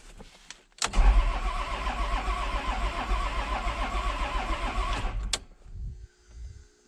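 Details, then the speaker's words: 1994 Isuzu cab-over diesel truck, sat 3 years, cranking after battery terminals cleaned to get fuel to injectors; catches and runs rough with uneven stumbling beat, then dies; misfire, skipping. "sounds like it's got a skip in it"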